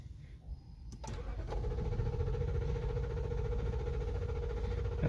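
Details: 2013 Lexus LX 570 (Toyota): a click, then steady starter cranking with a whirring drone that never catches; cranks but won't start, caused by a misplaced EFI relay.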